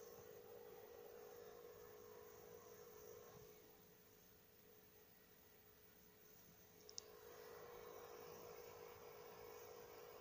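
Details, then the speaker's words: PS4 Pro loading and running Mafia 3, phone held right against the console: only a faint steady hum and soft airflow hiss, no whine or rattle, barely audible from standing position; normal quiet fan. "The phone is right up against the PS4, so you might hear a little bit of something, but where I'm standing right now, where my head is, I can hardly hear it get me."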